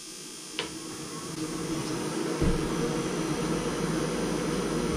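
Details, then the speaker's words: Mr. Heater forced-air propane heater just plugged in: the fan runs for 20 seconds before the propane is opened to purge any fuel from the connection; even, steady whir with a low hum and no rattles or scraping; normal fan run. "once we plug it in the fan turns on and the fan turns on we leave it for 20 seconds just so if there's any fuel in the connection it blows that out first"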